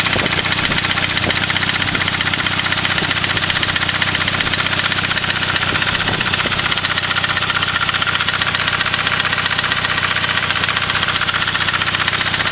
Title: Saab 93 B205E Motorgeräusche